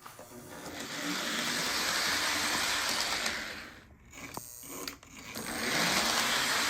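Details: Lionel model train armature motor after oiling the reservoir and armature shaft to cure a squeal: smooth even whir and hiss, no squeal, briefly dipping in speed twice.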